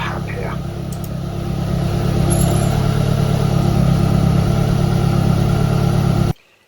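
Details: Evo1 16v engine idling after a noisy, over-tight cambelt was slackened: low, even rumble with steady firing and no belt whine or slap; engine runs smoothly and sounds healthy.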